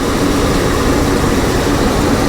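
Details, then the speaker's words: 1985 GMC C1500 Sierra after fuel tank and sending unit replacement with fresh gas: uneven, lumpy running with a ragged low beat; misfire, owner suspects one or two dead spark plugs. "definitely possibility that we're going to need to changed at least the sparkplugs I think the floodwaters are probably alright but it'd probably be worth it to change the spark plug Center we may have bout one or two out from the way it was running"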